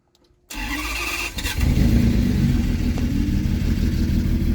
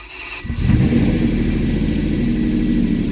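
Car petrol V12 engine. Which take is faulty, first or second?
first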